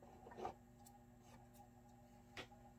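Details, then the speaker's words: JVC X'EYE console CD drive under repair: a faint steady hum with light clicks as it keeps seeking and won't boot the disc after the laser was cleaned; drive seeking. "no is this for real for real I can hear it seeking huh what do we got going on here all of a sudden"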